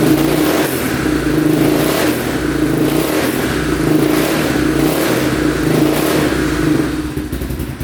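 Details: 2002 Yamaha Warrior 350 single, first run after sitting, carb cleaned, fresh oil: fires and revs with a steady beat; sounds decent but smokes heavily, owner unsure whether oil burning off in the exhaust or it needs a rebuild.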